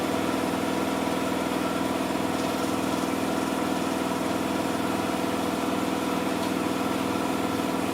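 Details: Miele Softtronic W6544 washing machine, drum loose and noisy (bearing damage questioned): loud steady running rumble with an even thump about twice a second as the loose drum knocks each turn; broken drum spider (Trommelkreuz).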